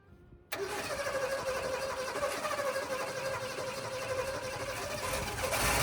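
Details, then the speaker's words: TDI diesel engine (90 hp); catches instantly into a steady, clattery, tractor-like idle with no knocking, running normally. "It sounds like a tractor. It's not knocking. It's not. The whole drivetrain sounds like a tractor instead. Well, it's a TDI."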